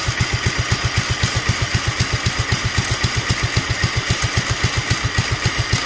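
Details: Duromax 18hp single-cylinder engine with an upgraded intake and air filter, after the idle screw was turned up and the choke opened with a little throttle: slightly uneven, loping thump about four firings a second, struggling to hold idle; cause unconfirmed.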